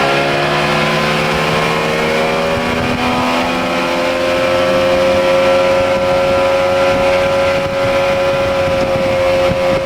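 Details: Outboard at speed on test run after a blown motor was repaired, new prop of unknown pitch (previous 3-blade 17 pitch gave 44 mph); smooth steady high drone under load, no misses, knocks or rattles; motor runs excellent, no issues.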